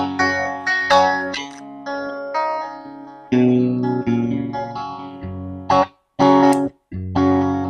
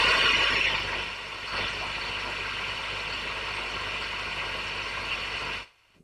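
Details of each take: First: Valve guitar amp on the distortion channel, recorded on camera mics that struggle with high volume: distorted riff whose low notes sound loose and flubby instead of tight. Bottom end described as ugly; cause not yet known. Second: Valve amp, controls turned up and dimed, listening for pops and crackles at idle: steady, even hiss, then it cuts off, with no pops or crackles. Slight hum at full volume; normal idle hiss.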